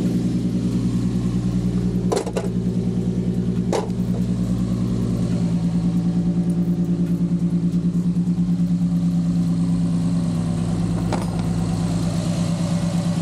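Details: G35 (VQ) on ramps after a new throttle body and GT-R injectors, with no fault codes. Steady, even idle with a smooth low burble and no knocks or misses, only a couple of brief clicks; normal idle.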